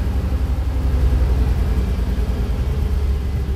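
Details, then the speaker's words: Carbureted 5.3 LS V8 swap in a daily-driven truck, MSD 6014 ignition box (installed May 2019, under ~10k miles) failing: deep idle lopes and stumbles with a misfire, AFR around 20–21:1, reluctant to idle, improves but still misses when revved. "you can easily hear a misfire i don't know if you guys can hear can hear that we got ourselves a misfire here"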